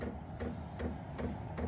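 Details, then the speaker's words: New Vevor 12V 8k diesel heater in a 600 sq ft shop at startup, still blowing cold air: soft, even clicks about every 0.4 s as the pump cycles, dosing fuel into the heater. Normal fuel pump ticking. "that's the pump cycling in it's going to dump fuel into the the heater portion of the unit"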